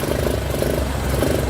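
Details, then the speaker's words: Yamaha YTX125 single-cylinder motorcycle starts but will not keep running and stalls; uneven, stumbling beat that sags and wavers instead of a clean idle; carburetor fuel found dirty, misfiring and stalling from a contaminated carburetor. "yan boss madumi na ito ah ngayon ano tumitirik ba o ano wala lang ito yung gasolina"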